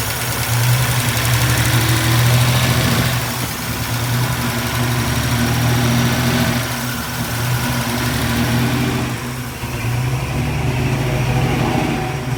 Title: Sawbones 60 possible vacuum leak